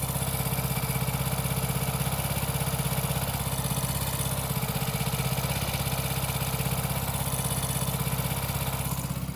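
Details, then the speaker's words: Hero Passion Pro single-cylinder idling after air bled out and bolt retightened, engine rebuilt 500 km earlier; even putter with no ticking or chain rattle, tappet gaps confirmed 0.04 mm intake, 0.06 mm exhaust. Normal idle. "Engine से बिल्कुल भी नज नहीं आ रहा engine से बिल्कुल भी sound नहीं आ रहा है"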